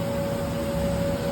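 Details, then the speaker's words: Laser cutter air assist turning on after raising the air pressure setting to clear a 'low or unstable air pressure' error: constant airy hiss with a faint steady hum underneath; blowing normally. "bring that air pressure up apply okay NOW Watch What Happens you guys hear the air just turned on"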